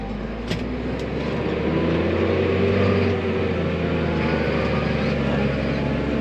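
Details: Tractor after head gasket and oil cooler repairs, driven home at night on the road. Steady, even diesel drone with low rumble under light road load, no knocks or misses; runs healthy.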